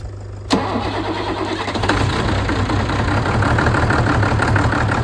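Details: Ford tractor diesel, which had revved and died and then would not bleed, now restarted. It cranks, catches at once and settles into an even chugging idle with no misses.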